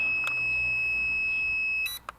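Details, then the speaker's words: Locator buzzer on a homemade lightweight carbon-tube quadcopter (JJ1000 board): 1.7 g magnetic oscillator active buzzer, not piezo. One long steady high-pitched beep of nearly two seconds, then cuts off; loud and working normally. "Not piezo, this is actually a magnetic couplet oscillator plus active boozer."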